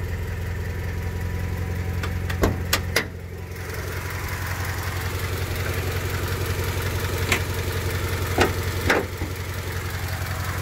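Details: 1999 Honda Civic EX, D16Y8 engine at idle after months of spirited driving, burning oil with blue smoke and compression loss: light uneven tapping and some louder clicks like a bad rocker or lifter; owner suspects piston slap from worn cylinders.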